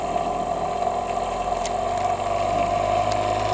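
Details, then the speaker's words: Thumper Mini Pro 2 massager that sat perhaps 10–20 years, just repaired and lubricated, running on setting 2: loud fast buzzing hammer with a rough, uneven rattle. The cover is loose and chattering; it sounds out of control. "That doesn't sound like it should. That sounds like it's way out of control."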